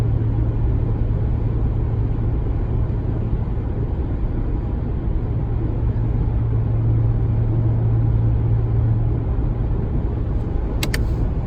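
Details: 2019 Ram 1500 in 8th gear at cruise: deep steady droning hum around a hundred cycles at constant level fills cab, occurs regardless of MDS, not road noise; persists after sound amplifier replacement; cause unknown.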